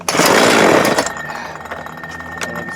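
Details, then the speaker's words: 2010 Homelite 3514C 42cc chainsaw, very dirty, long-unused; roars briefly then drops to thin uneven idle, only runs with choke between half and open, lean-carb-like; cause not confirmed. "whatever reason she's wanting to run uh with the chart choke not halfway but it's like in between half and open is the only time it's wanting to run"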